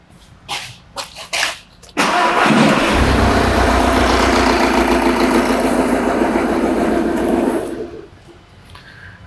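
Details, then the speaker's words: Diesel engine with an induced misfire during pressure-transducer testing, transducer in dipstick tube: cranks, catches and idles with an uneven, lumpy beat before shutting off; one cylinder not firing. "You can clearly hear the misfire there"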